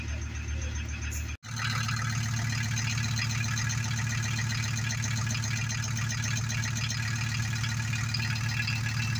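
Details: Very rusty Volkswagen T4 diesel van, started after needing easy start: deep, even diesel thrum at steady idle with no stumbling, knocking or hunting; running fine.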